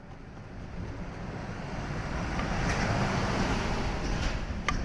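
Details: Subaru BRZ (ZC6, applied A) at 110,000 km: a steady hiss rises over the engine's low hum when the clutch pedal goes down, from a worn clutch release bearing, before replacement.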